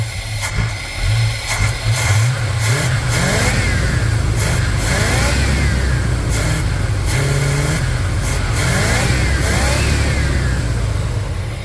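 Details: 1979 GMC C15 pickup, just delivered, EGR valve still fitted, first start; engine revs cleanly through several blips back to idle with no misses or knocks; runs well, normal revving.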